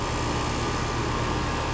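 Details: Iced-up AC unit, relatively new 1.5-ton condenser, running with gauges on after the fault was traced to a dirty filter: steady even hum, constant low drone and faint fixed tone, no rattles or surging; charge and subcooling within spec, running normally.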